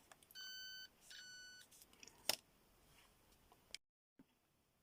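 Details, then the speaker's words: Homemade late-1980s pitch-indicating continuity tester: two short steady high beeps, a dead short and a 10 ohm resistor sounding almost alike. "well this is a 10 Ohm resistor which are most continuity testers would just give a straightforward bleep just the same as any other sounds pretty much short circuit doesn't it unless you compare that"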